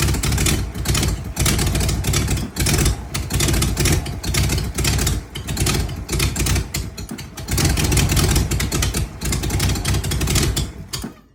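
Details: 1993 Ford Bronco 302 V8 with rough idle, stalling and no throttle response: idle surges and sags unevenly, dipping near stalling several times before dying out.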